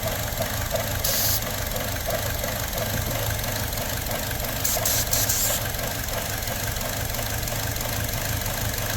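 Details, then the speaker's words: 2017 Buick Encore with check engine light, surging and stability track light: uneven loping, chugging idle stumbling about three times a second, traced with spray to a vacuum leak at faulty valve cover; parts store had blamed oxygen sensor. "doing this will temporarily um plug up not plug up but it'll temporarily get sucked into a vacuum leak"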